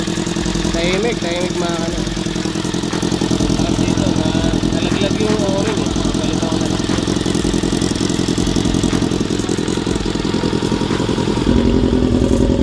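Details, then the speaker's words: Honda CB-1 400 motorcycle engine after cam/head work and gasket replaced with a thick gasket plus sealant to stop an oil leak: steady even idle, smooth exhaust beat, no top-end ticking or knock; engine quiet, normal idle. "Ayun. Mukhang okay naman. Pinandar ko na. Sana. Tahimik na mga makina."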